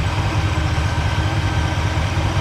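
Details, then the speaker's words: Impala V8 idling after the low-voltage fault was fixed by switching to a one-wire alternator: output rose from 11.44 to 14.5 V. The coil was suspected but is fine. Steady, even low rumble with a smooth beat and no misses or knocks; running like it used to. "Now we're putting out 14.5. All right. Oh man, she's running like she used to."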